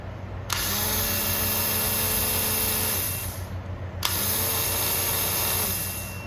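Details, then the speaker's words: Cub Cadet mower (probably MTD with Powermore engine), electric starter motor removed and bench-tested on a battery pack: two few-second bursts of steady, even high whir with no grinding or dragging; starter works normally. "I removed the starter, the solenoid, the wiring harness to the key switch. I got my battery pack hooked up to the motor and let's see if it works."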